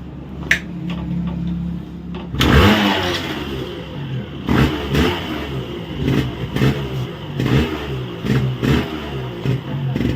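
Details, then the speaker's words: Yamaha RX135 Tiger model two-stroke after a full engine rebuild with reed valve, manifold, carburettor and chamber refitted: it starts on one kick and revs up in crisp, even bursts with a clean crackling exhaust; firing well. "गाड़ी जो है वो 1 kick start हो गई है और एकदम बढ़िया फायरिंग बनी है, आप देख सकते हैं।"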